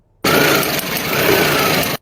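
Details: Car engine running briefly with a rough, uneven crackle through the note, demonstrating a failing ignition coil sound.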